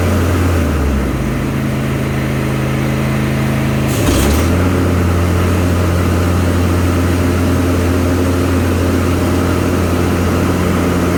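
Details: Craftsman Z530 zero-turn after deck repair: engine hum dips as blades engage, then settles into a smooth steady drone with no squeal or grinding; normal deck operation.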